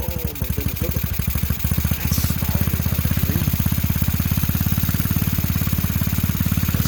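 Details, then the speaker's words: TaoTao GK110 go-kart, 4-cycle single, first start after fitting replacement carburetor, choke on: quick busy popping well above a lazy idle; carburetor idle set too high, about to be turned down. "It's idling too quick, man. It's idling too fast."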